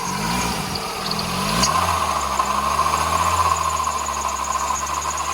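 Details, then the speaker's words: Skoda Fabia 2 estate bought as scrap, engine started and idling: uneven metallic rattle over the hum, three or four a second, one suspects cam or tensioner; later found worn water pump and tensioner bearings. "And it's got quite an horrible rattle coming from the engine."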